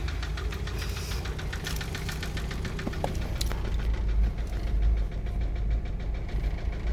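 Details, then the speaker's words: MK5 VW Jetta GLI FSI after sitting three years, replacement cylinder head fitted, rocker cover not fully bolted, no coolant system: steady idle with light fast injector tick, no bottom-end knock; engine healthy. "But yeah, no like bottom end noise. It's like all you hear is the injectors."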